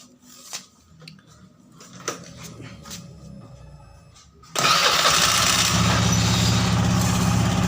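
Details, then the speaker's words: Honda Scoopy FI scooter after repairing a CVT that had been rough and sluggish, especially at low rpm: after a quiet lead-in it pulls up to a steady, even drone with no rattle or surging; the CVT is responsive and sounds healthy again. "Untuk tahap pengetesan tadi oleh saya sudah saya lakukan dan itu kembali responsif ya teman-teman pada area CVT ini yang tadinya kasar dan juga lemot tenaganya."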